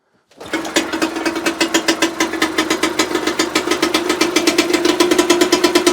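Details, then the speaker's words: 1966 British Seagull two-stroke outboard, sat about 20–25 years, revived after cleaning points: crisp evenly spaced pops, about three to four a second, no misses; runs properly though it is leaking. "hopefully we'll be good to go well she runs and leaks"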